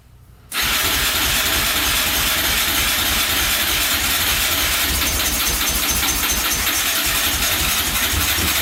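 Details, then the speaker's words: 2004 Yamaha Raptor 660 quad, rough condition, fresh oil, gas poured down the carburetor, choke pulled by hand: starter spins steadily about eight seconds without firing. "Well, she doesn't want to go. Huh. Fuel directly down there."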